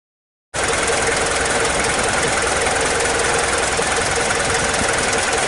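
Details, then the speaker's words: Mazda WLT diesel in a Ford Ranger after VE injection pump swap and bleeding, pump filled with 2-stroke oil, timing eyeballed: first start fires straight up into a steady even idle clatter, no misses; normal diesel idle. "that weren't bad, was it? For eyeballing the timing and just kind of give it a go."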